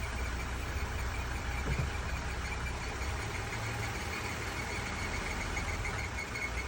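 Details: Jeep engine idling after its idler pulley was replaced: steady low rumble with a faint rapid ticking or rattling on top, source unidentified.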